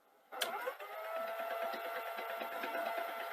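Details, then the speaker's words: Sony SL-HF950 (US SL-HF750) CX chassis Super Betamax with take-up reel issue, after repair, wind mode: even winding whirr with a few light clunks and no rubbing noise; the reel drive now runs smoothly. "Well, it's sounding better. A little bit clunky, but also that seems to be running a bit better."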